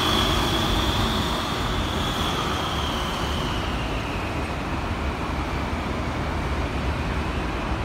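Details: Wright Gemini 2 bus VW1407 LK13 BHY on route 186: engine pulling under road roar with a thin high whine slowly dropping in pitch; odd noise, cause not found.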